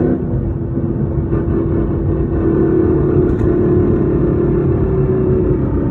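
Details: 2014 Ford Mustang with Whipple supercharger, MT82 Getrag 6-speed manual, Barton short-throw shifter, at 37,000 miles: constant loud mid-pitched whine on acceleration and deceleration over road rumble, gone with clutch in, no grind or vibration; gearbox whine, suspected transmission failure.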